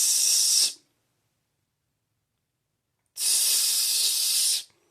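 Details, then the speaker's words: Toilet tank refilling on its own with short bursts of water hiss, water constantly topping off the bowl without flushing; indicates a leak, fixed by replacing fill and flush valves. "and what that is is the water topping off the uh toilet bowl constantly so obviously what that tells you there's a leak"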